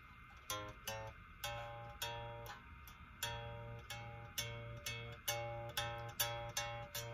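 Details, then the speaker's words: Les Paul bass, A string, after about a quarter-turn truss rod loosening to add relief; plucked notes ring clean with no back buzz, though action is now higher. "it's not making that sound anymore but of course now the action is going to be higher way higher"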